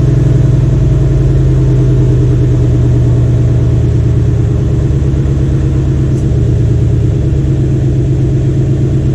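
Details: Restored 1993 Cadillac Seville 4.6L Northstar V8 after rebuild, idling, heard from the rear of the car: deep, even idle with a steady low beat, no misses, knocks or ticks; healthy.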